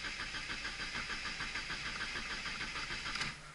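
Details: Car that sat with only a couple gallons of gas, after fresh fuel, new fuel filter, new spark plugs, good battery, working fuel pump: starter churns steadily about three beats a second, never catches; crank no start traced to faulty fuel injectors.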